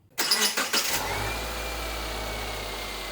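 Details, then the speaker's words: 2011 Subaru Impreza Outback Sport after replacing the leaking O-ring on the power steering pump upper feed hose, fluid above cold max line: engine catches and idles smoothly, much quieter, no chirp or groan from the steering pump; normal idle. "So, running much quieter. Doesn't have that same chirp that it had before."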